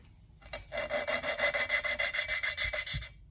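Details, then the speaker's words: Valve lapping with paste, valve twisted back and forth with a suction tool: gritty rasping strokes about three a second while the paste still cuts; when the noise stops the paste is spent and must be renewed, then finished with fine paste. "jusqu'à ce qu'on entend plus de bruit quand on entend plus de bruit ça veut pas dire c'est bon c'est fini c'est fait ça veut dire qu'il ya plus de patapon"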